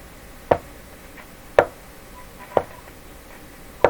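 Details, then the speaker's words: Philco 38-C7 tube radio during RF alignment check, tuned to 18 with signal generator: sharp isolated pops about one a second, irregular, over a quiet hiss; popping noise, source not yet found. "what's that popping okay volume down a little bit"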